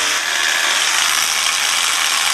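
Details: Milwaukee M12 Fuel SDS hammer drill bought from Amazon, keeps shifting out of hammer: fast harsh buzzing ratchet as mechanism skips instead of hammering; cause found on teardown as too much/wrong grease and tight factory tolerances.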